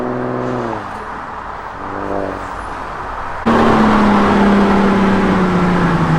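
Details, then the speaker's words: Mercedes SLK 350 after full transmission valve body overhaul and TCM replacement: engine pulls strongly, pitch drops cleanly at each quick upshift, then steady hard run with no slip or flare. Normal acceleration. "hey that was a good rip car is feeling amazing I am loving it"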